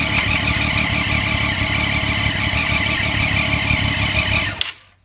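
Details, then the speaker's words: 2009-2015 Triumph Street Triple on a stand with newly installed Shift Dynamics quick shifter, run through gears: hard revving with brief power dips between gears, then shut off; ignition cut working cleanly on each shift. "Okay, so as you could hear, it just cut the motor out just slightly in between gear changes to allow the gear to drop in. So that's all we need to do. So that's working effectively there."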